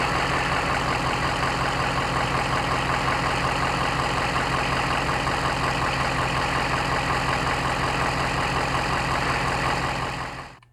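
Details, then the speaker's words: 2004 Ford Excursion 6.0 PowerStroke diesel, ~385,000 miles, cold start after sitting a few hours, 10,000 miles after Stiction Eliminator, degraded oil due for change: fast steady clatter with light tick until shutdown; owner hears little difference. "we're gonna show you a clip of it starting up and it's cold so it's been sitting for a few hours and this is how it starts up"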